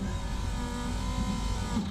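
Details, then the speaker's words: KA24DE swapped into a Nissan 300ZX Z32, fuel pump jumped with direct power and ground, fuel quantity unknown: even steady electric hum about two seconds then a click; pump works, no leaks. "It works. I don't know how much fuel is in this though."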